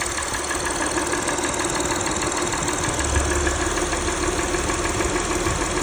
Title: ticking engine valvoline restore + protect 3rd oil change with purolator boss filter rough idle a/c